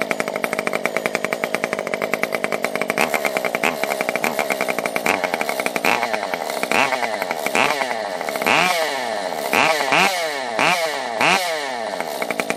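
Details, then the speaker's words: Stihl MS 194T top-handle chainsaw after a muffler mod (inner baffle removed, open port), started with purge bulb and choke, not fully warmed: crisp two-stroke idle with quick, clean throttle blips and loud exhaust. Normal running. "Purge bulb. Go, and we will choke it. That sounds pretty much like how I want it to sound."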